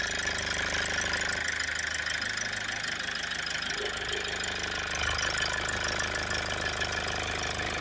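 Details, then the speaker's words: Toyota Avensis just jump-started after a dead-battery no-start, idling: light loose buzzing rattle from the air box vibrating. "it's got a really annoying rattle there on the air box i don't know if you can hear that"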